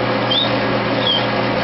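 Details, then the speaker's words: 1.5 hp lathe driving a Missouri wind permanent-magnet generator in a low-rpm test into a grid-tie inverter, producing about 28–33 W; the motor strains with a steady low drone and a short squeak roughly every 0.75 s, labouring under load. "All right, let's start her up now and see what happens. She's having a tough time turning"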